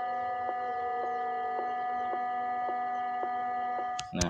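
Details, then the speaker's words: DAT DA-313 power amplifier with no music playing: a steady high whine with faint ticks about twice a second from the speaker, heard before a 16 V 2200 µF capacitor is fitted. "seperti yang tadi ya suaranya keluar ada suara bising ya suara bising yang kurang enak ya disaat amplifier ini tanpa musik ya"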